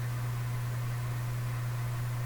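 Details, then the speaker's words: Canadian General Electric A55Z tube radio after replacing two electrolytic filter capacitors: a steady low hum over faint hiss, strong at first then steadily fading; mains hum, likely from power supply filtering. "it's continuing to go down I could do the parallel capacitor thing here just pop in temporarily paralleled say a 10 in here and see if what happens to the hum"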